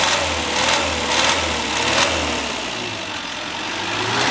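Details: Classic Mini towed into the workshop for an abnormal engine noise: engine running with a wavering mid-pitched note and uneven rhythmic surges, cause not evident.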